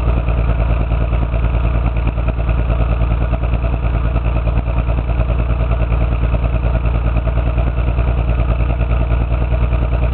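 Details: Toyota 7M-GE running rough: lumpy, uneven idle with a recurring stumble about three times a second over a dull rumble; no spark in cylinder 6, misfire later found to be a blown head gasket.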